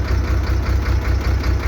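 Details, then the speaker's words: Soosan 6-ton truck-mounted crane: deep steady drone with fast low pulsing from the hydraulic pump when lowering or slewing, started after oil was added; oil foaming, air in the return line, pump starving on aerated oil. "при работе опускание крана либо поворот экрана появляется гул звук начал являться после того как добавили масла"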